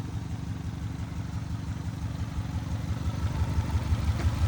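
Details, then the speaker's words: Subaru Legacy bought for 500, engine low on oil, known misfire on cylinder one: lumpy idle with a regular slapping beat about three times a second under the exhaust note; owner hopes plugs and injectors fix it, cause not confirmed. "Got a weird slap going on."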